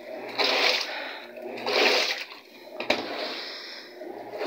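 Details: Panasonic 8 kg top-load automatic washer, repaired after water kept flowing straight out the drain because a lodged object blocked it from holding water; object removed. Rhythmic, even, unlabored water swishing about every 1.5 seconds; normal wash agitation.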